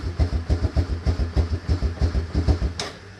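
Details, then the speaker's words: Honda Fourtrax 300 ATV after carburetor cleaning: engine chugs in heavy thumps about four a second for under three seconds, then stalls; choke cable slipping because its gold retaining clip was missing. "the last problem i'm fixed on this one is the chalk cable right here see this piece the gold piece of metal over there it was missing"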